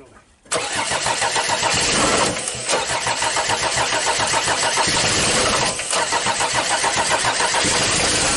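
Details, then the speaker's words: Audi diesel first started after at least 12 years standing, air bled from fuel lines, timing advanced, rotten leaking fuel pipe: catches straight away, loud clatter at fast idle with brief dips and stumbles; rough running, heavy smoke. "Run it. Let him work a little longer Look at the smoke behind the car Listen to how it works It smokes a lot."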